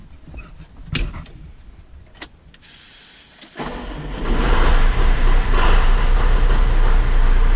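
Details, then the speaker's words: John Deere 6410 tractor after fixing the forward/reverse lever switch that beeped in forward or reverse: starts after a few clicks and settles into steady diesel running with no warning buzz; alarm cleared. "No more buzzing. You can go forward, backwards, back"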